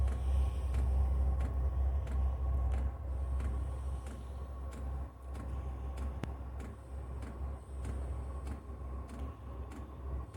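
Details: 5kW diesel heater on a workshop cart, first start after priming the fuel system, smoking as it fires: steady sharp ticks about three per second over a low rumble; normal start-up with fuel pump ticking.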